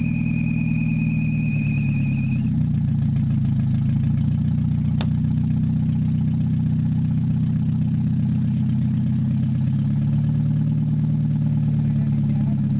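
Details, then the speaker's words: Mazda 626 just after head reassembly, first start, not yet warmed up: low idle slowly sagging and rising, hunting at really low RPM; owner suspects bad EGR or very old gas, with some knock and heavy vibration noted. "don't it's got a little bit of fluctuating idle and really low RPM"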